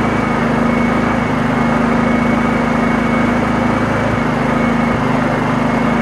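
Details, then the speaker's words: Honda EU2000 inverter generator after the over-drilled carburetor jet was reworked and its hole opened up: a fairly even, steady hum with only slight wavering and no surging; running much better, though it may have a few other issues. "it's definitely running a lot better it's probably got a few more issues but you know that ain't the point of the video"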